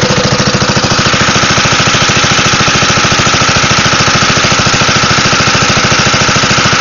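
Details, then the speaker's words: Wisconsin AENLD engine (built by Ronaldson and Tippett) driving a Pacific pump on a NSW Bush Fire Brigade Land Rover, pumping water: steady low chug at unchanging pace, no knocks or misses; healthy under load. "Lovely engine this. Just chugs along, moving a lot of water."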